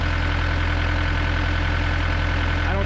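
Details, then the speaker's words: Gehl CTL60 tracked skid steer diesel after repairing a bent connecting rod and fitting new rings, freshly started and kept under half throttle: steady, even idle with a regular beat, no shake; the last cylinder now fires, engine balanced. "sounds good it doesn't shake like it did before you can tell it's much more balanced nowz that last cylinder is finally firing it sounds really good"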